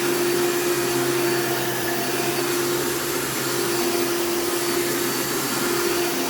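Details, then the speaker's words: Elite vacuum with a brand new brush roll running a steady high motor whine with constant buzzing; owner suspects it needs a new fan, which is hard to find. "so and based on that sound it probably needs a new fan as well because the thing does make a lot of buzzing sounds but you can't really get fans for elites very easily anymore"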